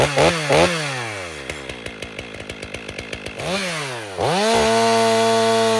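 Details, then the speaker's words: Stihl MS 500i chainsaw, full-wrap bar, warmed up, test cut: revs high then labours with rough chatter about four times a second while cutting, bogging down; chain is dull and needs sharpening. "And this is how they drop their saws off. That is dull."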